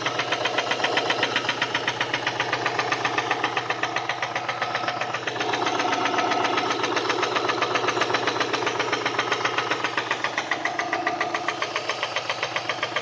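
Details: Subaru EJ204 engine at idle with sharp, steady metallic knocking about four per second; teardown confirmed a spun connecting-rod bearing on cylinder 1 (rod knock).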